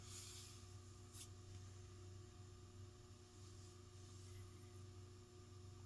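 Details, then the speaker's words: Vintage Union/Evergo "Bananafan" ceiling fan (Hunter Original copy) on variable speed: steady strained hum, turning very slowly while drawing about 1 amp, 25 watts. "It's drawing an amp to go that slow. 25 watts."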